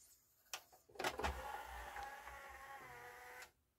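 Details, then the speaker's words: Yamaha CDC-625 5-disc CD changer after reassembly, discs in trays one and three: strained uneven whirring with scraping clatter as clamp moves; plastic disc clamp binding because a plate was reinstalled in the wrong place. "That disc clamp sounds like total crap."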